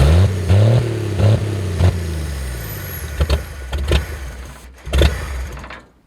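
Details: Abandoned 1964 Chevy Biscayne, parked 30+ years, after cleaning the points, on brake clean: steady low burble held just above idle with a touch of throttle, even firing, no knocks, then shut off; normal fast idle.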